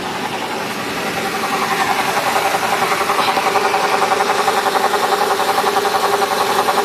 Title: CLK 500 buzzing sound